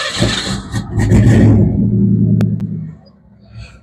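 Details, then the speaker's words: 1990 Ford Bronco 5.0 V8 4x4 just after oil change (Castrol GTX High Mileage 10W-30, 5 quarts): catches and runs rough, stumbling, sputtery; owner suspects water in spark plug wires from engine degreasing, distributor cap work planned. "All right, so she sounds all right. She's running a little sputtery right now because I just degreased the engine before I did the oil change."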